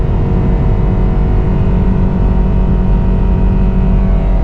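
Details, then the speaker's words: Worn-out car driven 25 miles to the scrapyard, with a transmission that won't shift and no engine belt: loud, steady, redlining engine drone while driving that never drops into a higher gear. The automatic is not upshifting. "i don't know why but as you can see that does nothing shifting between gears she's redlining"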